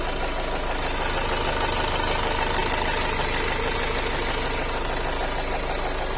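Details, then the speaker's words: Nissan X-Trail 2.0 dCi diesel at idle after restart: a steady ta-ta-ta knock about twice a second, like a piston slapping, with a smell of unburnt diesel; it disappeared after revving; engine knock, source unconfirmed. "Появился этот звук. Та-та-та. Такое впечатление, что поршень лупит."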